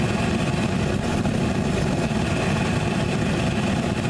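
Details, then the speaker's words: Homemade Frosty T propane burner, short nipple with big bell: even, steady roar with no sputtering or pulsing; burner running stable. "can hear it stable W stable wish yeah"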